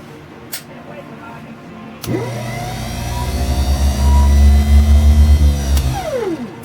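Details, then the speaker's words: Ford 100 garden tractor starter-generator bench test after cleaning the commutator: powered armature whines, then pitch drops and it drags down audibly once the field is energized, showing the charging field works. "Like that, you could hear it pull itself down. So luckily enough, we do have a good starter generator, so let's get this thing mounted up on the engine."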